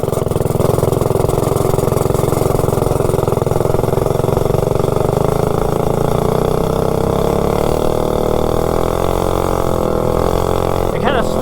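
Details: Predator 224-powered GTS minibike with a cheap generic 16-tooth centrifugal clutch, already chattering and oiled beforehand, climbing a hill: the engine note climbs and holds high without the bike pulling harder, and sparks fly from the clutch; the clutch is slipping.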